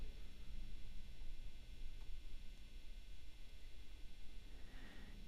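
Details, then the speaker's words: New Fender Standard Stratocaster single-coil pickups, before shielding upgrade, sloppy factory shielding paint: low steady mains hum with faint buzz, fairly noticeable, tested bridge, middle and neck pickups. Electrical hum from poor shielding. "There's a little bit of buzzing going on, and it's fairly noticeable, and we're going to see if we can make it better."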